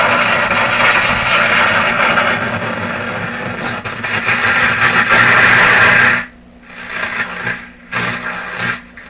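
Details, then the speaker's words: Atwater Kent Model 36 radio on test bench, wire antenna, no earth ground, output tube suspected bad: steady hiss and crackly buzz, no stations, fading and fluttering back; picks up only interference, loose tube contacts suspected. "Okay, so I'm picking up things that sound like interference in my house. It really sounds like the radio is operating fine. It's just not finding any stations."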